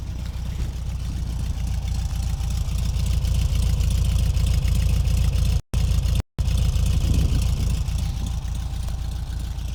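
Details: 1973 Cox 1300 engine at idle: loud low idle with a steady quick ticking over the engine note, about three or four per second; abnormal idle noise, cause unknown.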